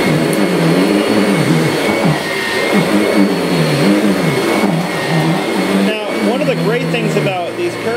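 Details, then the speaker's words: Kirby Sentria vacuum after replacing the impeller broken by a vacuumed nail: motor run in dry mode, a steady roar with slightly wavering drone, no vibration, rattle or shudder, running smoothly and healthy. "okay let's uh get our motor turned on put it in put it in dry here we go ooh no vibration"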